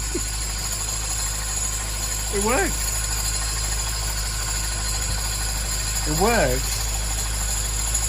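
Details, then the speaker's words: Salvage Mini JCW (N14), rebuilt engine, idling with the drive belt removed: smooth steady idle and the earlier knocking gone, suggesting the noise came from the belt drive, not a piston or bearings; normal idle. "it's not making a knocking noise, which I thought was either a piston or bearings coming off the bomb. Now, that noise is perfect."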